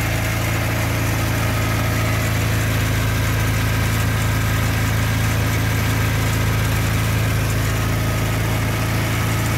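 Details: Škoda 1000 MB / 1100 MB De Luxe, first start after 15 years, fitted with an electric radiator fan: steady, even low idle with a smooth deep beat and no knocks, misses or rattles; the engine sounds healthy.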